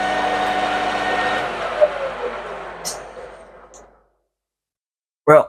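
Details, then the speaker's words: Lathe cutting a new rivet dimple bolt for a homemade rivet press, speed dropped from 1200 to 900 rpm with cutting fluid added: rough rasping cut with ringing tone, tool chatter; made little difference to noise or chatter. "didn't make a lot of difference on the noise level or chatter"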